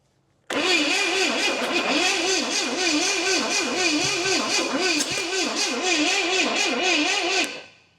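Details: 1969 Pontiac GTO with what appears to be a Pontiac 350, sitting about 35 years, cranked after a shot of brake clean: steady starter cranking about seven seconds, never firing; owner suspects fuel starvation or timing well off.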